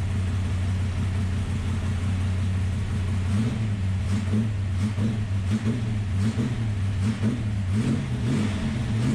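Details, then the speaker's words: Ultima GTR supercar, first start after sitting about 7 years, engine very cold, oil pressure present: revs rise and sag unevenly and it won't pull cleanly; poor revving, blamed on the cold. "Obviously, it didn't rev really well because it's super cold, so probably what we should do"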